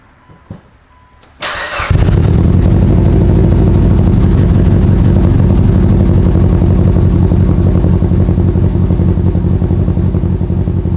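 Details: Evo tuned to about 700 hp, first fire-up after a rebuild with coolant just filled: engine catches and settles into a lumpy, uneven idle with a dull low beat, misfiring; smoke burning off from spilled oil.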